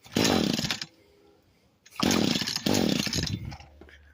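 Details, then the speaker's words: Echo SRM 225 two-stroke trimmer, after cleaning and refitting a part: two short bursts of high revving that sag and fade, then it cuts out; somewhat better but still bogs and dies. "But so it got better, as you can see, but it still died probably just."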